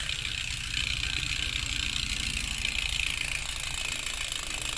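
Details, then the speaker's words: Sondors Rockstar e-bike rear wheel fitted with a 6-pawl steel freehub body (Bear Pawls, Shimano-style) against 24 teeth, three times the stock engagement; fast, even, crisp ratcheting buzz as the wheel spins, no skips: normal freehub engagement. "you got your six paws engaging in there against the 24 teeth so three times as much engagement as the stock saundor's free hub body"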